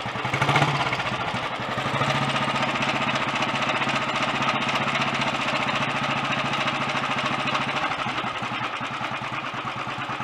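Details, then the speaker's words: Early Redditch Royal Enfield 350 Bullet single idling after carb pilot jet cleaning, new oil pumps and head-nut tightening. Busy whirr and clatter over the beat from the magneto/dynamo gear drive, now mechanically quieter and less tappety. "The mag dyno drive is making quite a bit of noise, but it's not so tappety sounding now."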